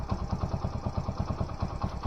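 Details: Alfa small single-cylinder motorcycle after first-time cylinder-piston group rebuild, weak battery: putters at a steady, even idle with regular low thumps and no stray knock; normal idle.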